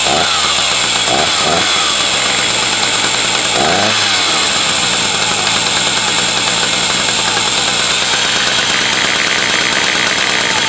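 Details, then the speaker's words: 40-year-old Husqvarna 380 S chainsaw after a DIY starter mechanism rebuild: a few quick starter pulls, then a loud, steady, high-pitched two-stroke roar holding evenly; starts easily, normal running. "I could start it now just to have the just for fun to hear it Roar and see how easy it starts and test the starter of course"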